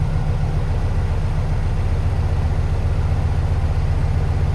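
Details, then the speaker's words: 1969 VW Beetle, air-cooled, warm after drive, oil pressure about 10 on gauge, temp gauge not moving. Even, steady low chugging idle with a consistent beat and nothing irregular; healthy warm idle. "Temp gauge still hasn't moved up. I mean, we drove. We know it's warm. Sounds good."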